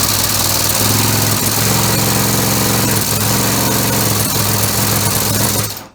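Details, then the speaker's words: Homemade 3-cylinder orbital compressed-air engine with single-shaft push-pull valves: steady clattering run with an uneven beat and occasional stumble; one cylinder missing, owner suspects one valve needs adjusting outward. "a little miss and it sounds like it's this one here it is causing it so I have to maybe adjust that and try it again"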